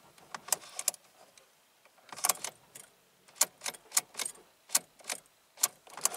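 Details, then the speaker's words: Car won't start on a windy 59-degree morning; battery seems dead. Key turns give sharp dry tapping clicks in uneven bursts with no cranking, and a starting system fault shows. Owner suspects he drained the battery and plans a trickle charge. "starting system fault no duh I say making it tapping noise"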